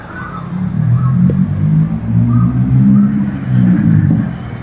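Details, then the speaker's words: Euro Samurai 150i motorcycle misfiring after hitting a pothole, before repair: low note surging and sagging unevenly; cause found as spark plug bent against chassis and broken. "Parang balukt ong spark plug ano Wala naman tumatama Oh, baluktot eh."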